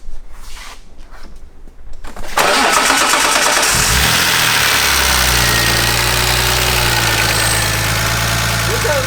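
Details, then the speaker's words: Inline-six engine with a fresh cylinder head, first run the night before: short crank, quick catch, then a smooth, steady idle with no ticks, knocks or stumbles; head quiet, no oil leaks. "how smooth this thing is, dude. Sounds good. Right? It sounds really good."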